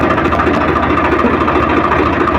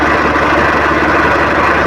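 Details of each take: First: Swraj 855 FE tractor diesel idling in neutral after gearbox repair (gear noise had occurred in every gear except fourth and at neutral): steady even idle, no rattle or whine, no change when clutch pressed or released; normal idle. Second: Swaraj 855 FE tractor idling in neutral with clutch released: steady, busy metallic gear rattle over the diesel engine, gear lever shaking; stops when clutch is pressed; noise also in all gears except fourth while driving.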